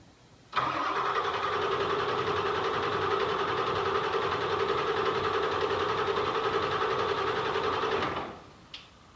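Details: OBS Ford 7.3 Powerstroke diesel first start after an injector replacement: it catches at once and settles into an even, steady idle with a mid-pitched drone and no misses, then is shut off.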